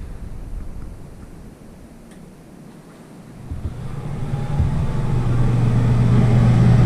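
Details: Newly installed Dometic RV air conditioner setup controlled via Keystone In-Command, switched to the front unit in fan mode, with no power for the compressor: quiet, then a steady low hum builds and holds. Fan running normally.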